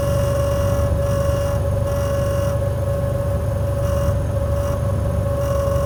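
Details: Air conditioner: a steady mid-pitched whine over a constant low rumble with no change in speed. Abnormal AC noise, cause unclear.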